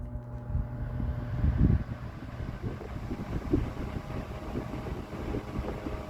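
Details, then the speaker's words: GE Standard strap fan 12-inch oscillating desk fan F14S125, mid-late 1950s, 2-speed, on high without oscillation; low steady motor hum under soft air rush, no rattle or scrape; normal fan running. "it's not as much air as like a Vortalex would be blowing. But you know, for a fan of this era, this is really good."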